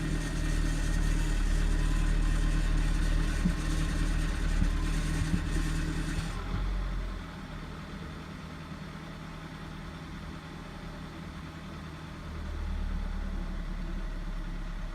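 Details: 2011 VW Passat B7 1.4 TSI manual, 160,000 km, cold start at 12 °C after a day outside: high idle with metallic rattle and loud turbo whistle, then settles; rattle cause unknown, owner thinks whistle from catalytic converter.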